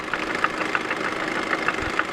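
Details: 2005 Chevy Cobalt 2.2 Ecotec idling with a sharp regular metallic knock, six or seven per second, seemingly from the timing chain area; began under 2300 rpm, now throughout the range; cylinder 1 intake lash adjusters and chain tensioner replaced, cause unknown.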